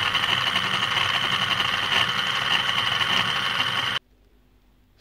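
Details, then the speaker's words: EBM-papst M4Q045-CA01-09 shaded-pole sleeve-bearing fan motor (230 VAC, 1300 rpm) from a Frico 2 kW heater: it whirs with a raspy, uneven rattle and high whine, then stalls. A bearing problem is suspected. "Yes sounds bad and there we and there it stopped so yeah it's a bearing problem I guess"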